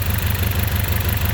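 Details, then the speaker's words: Engine misfiring, smelling of unburned fuel: lumpy, uneven idle with a regular stumble that stays the same with one coil's connector on or off, showing that coil, replaced a year earlier, is dead and needs changing. "take out same thing so this one is not working anymore dead so you need to change it"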